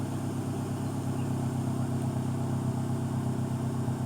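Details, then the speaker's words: 2013 Dodge Dart 1.4 turbo with P0299 underboost and other codes, after replacing boost solenoid (wastegate ruled out): smooth even idle, steady low hum, no misses, knocks or hiss; problem appears solved. "it's it has not sounded like that for a long sounds I think you may have solved your problem there"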